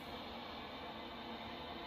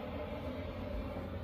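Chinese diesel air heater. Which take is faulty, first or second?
first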